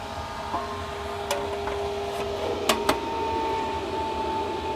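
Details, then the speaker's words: Four-pill (four-transistor) amplifier running lid on, screws not yet fitted: steady fan rush with a clear mid-pitched howl jumping higher as air flows through the open screw holes; cooling fan air howl. "The air flowing through the screw holes is making it howl. Hello. Solid 500 bird with the lid on it. That would annoy me like crazy if I had to listen to that."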